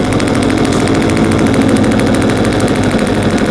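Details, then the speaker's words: Petrol engine ignition working model, distributor turned by a belt-driven AC motor, switched on: rapid, fairly even crackling snaps over a steady motor whirr as each spark plug fires in firing order; ignition sparking normally. "હવે જો switch ચાલુ કરીએ છીએ, જો આમાં spark પ્લગમાં spark થતો હોય એવું દેખાય"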